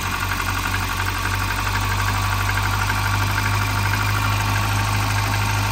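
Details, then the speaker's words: Volvo 940 Turbo bought sight unseen, first start: low steady rumble with a lumpy, irregular beat; idle isn't set correctly, engine oily with lots of oil, cause unconfirmed; rough idle. "okay so first Lots I think this thing that idle isn't set correctly there you go"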